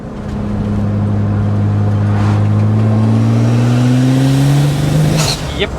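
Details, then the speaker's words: BMW N54 twin-turbo swapped into an E30, new turbos and all six coils replaced, on a fourth-gear pull around 30 mph: pulls hard and climbs evenly, then stumbles and cuts out briefly; repeated cylinder three misfire at high boost. "happened again right there and finally for the last time it was cylinder three"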